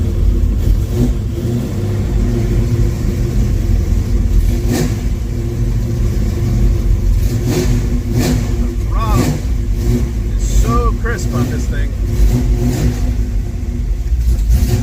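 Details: 1974 Camaro Z28 with a 400 V8 and original Turbo 400 transmission, cold start with no choke. Crisp blips rising and falling cleanly over an even idle with no misfire, rattle or knock. Normal revving, healthy V8.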